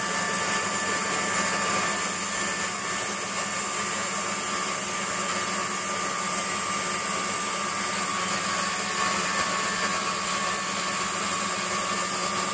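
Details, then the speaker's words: Waldown/Dumore tool post grinder finishing a bronze bush bore on a lathe, stone worked in both directions with fast in-out traverse and very light cuts: high, steady grinding hiss with a constant tone. Even contact, so the grind is finished. "so when that's it's all stopped we'll know that uh and it's a constant sound all the way through we know that the job's done"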